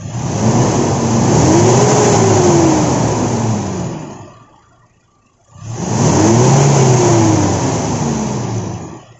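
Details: Toyota Innova with 1TR petrol engine, two quick revs climbing and falling back, running slightly uneven and rough; engine misfire, cause under investigation.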